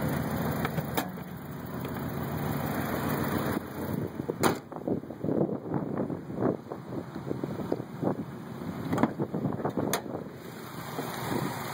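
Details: 1990 Mazda Miata idling at spec: uneven, lumpy idle with irregular knocks and thumps as the whole car and engine rock back and forth; owner suspects a possible crank problem; rough idle.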